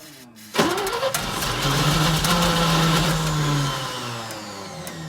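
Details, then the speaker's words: Old 3-ton grain/gravel truck just after fuel pump replacement, borrowed John Deere battery: engine catches after a short crank, revs unevenly, then sags and fades; starts then stalls, suspected dirty plugged filter under big bolt, not confirmed. "Yeah, it's all hooked up. He just doesn't want to stay."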